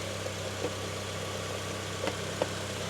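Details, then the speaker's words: 2005 Honda CR-V with K-series engine idling after DIY fuel injector cleaning and restart with air purged from the fuel system: steady, even low hum with a few light clicks, no stumble or miss, a normal idle. "and just like that fires right back up idling well let's go out to the front and see if we have any leaks"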